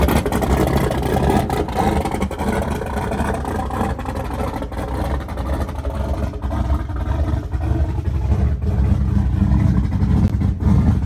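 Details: Small-block Ford turbo 383 V8 after new rocker arm install fixing a metal-on-metal tapping, timing not yet set, slight exhaust leaks: deep even V8 burble at idle with steady beat and no tapping; healthy.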